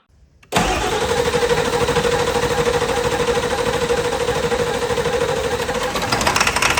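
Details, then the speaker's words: Barn-find OBS Ford F350, 7.3 Power Stroke diesel: catches and runs with a lumpy, loping beat that never smooths out, only four cylinders firing, one bank dead. Valve cover harness suspected first. "All right, all right, that's good news. Uh, we are only running on four cylinders."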